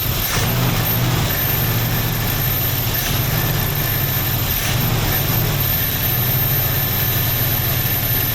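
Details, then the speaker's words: 1968 Ford Mustang, barn find after sitting 30 years, carburettor needing work: steady low rumble with an even beat and no misses, idling on its own; owner first suspected a dead fuel pump, then found it working. "But, that thing is freaking running, dude. No way. Well, I don't know. We're getting some accelerator pumps working, so maybe we are getting fuel. Our ducks are excited, too. It's running on its own."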